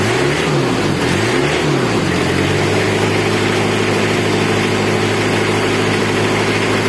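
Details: Diesel engine idling with an even low rumble and a constant clatter, no grinding or whirring from the front. Runs normally after the noisy fan and timing bearing was repaired. Owner reports radiator water keeps dropping with no leak found, and a faulty injector causes white smoke.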